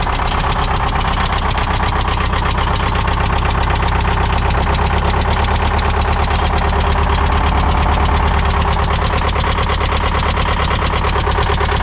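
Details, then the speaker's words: Military fuel-trailer pump diesel, fitting removed from a hole: small diesel chugging about three beats a second with a sharp puffing chuff each stroke as it tries to fire; compression blowing out the open hole. "something's blowing something's blown out the side of that right there it was trying to fire"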